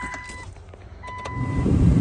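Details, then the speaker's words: 1999 Jeep Cherokee XJ blower motor working again after replacing the failed blower motor relay with one from a 2000 Jeep; key-on chime, then a low whoosh builds steadily as the blower spins up and runs evenly: normal blower operation. "we have air again. You can hear the blower motor in there."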